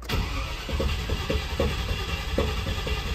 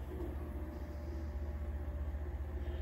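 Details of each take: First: Land Rover Discovery XD, first start attempt on a jump pack after a new fuel pump and fuel line: uneven cranking pulses, then the starter stops on its own before firing; intermittent starter, owner plans hammer trick on starter and solenoid. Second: Land Rover Discovery XD with a replaced fuel pump, hot-wired to a jump pack, and a mouse-eaten fuel hose replaced; switching ignition on runs the pump with a steady low electric hum, fast even pulsing, returning to tank, no leak.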